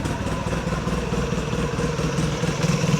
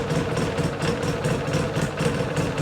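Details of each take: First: 2006 Polaris Sportsman 800 EFI idling around 1150 RPM, shifted into reverse: uneven rattling, rolling grind from the clutch, machine jolts between gears; owner suspects the one-way clutch bearing is going out. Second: 2006 Polaris Sportsman 800 EFI, warm idle: fires right up, steady even smooth thrum with regular firing pulses, idle about 1150 rpm, within spec (±100); sounds normal.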